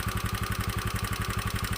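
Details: Honda Beat FI scooter that sputtered and died, suspected weak fuel pump; with the pump unplugged and fuel fed from a hand-pumped, pressurised IV bottle, it idles with a steady, even thump at about twelve beats a second, no stumbles or misses.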